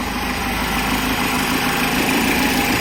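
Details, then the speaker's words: Peugeot 207 1.6 (NFU, Bosch ME7.4.4) with P0616 starter relay fault, started with a ground wire bridged to the starter relay circuit; steady, even idle hum with no misses, knocks or surging. "بحاول هلا اضرب مارش بتدور السيارة."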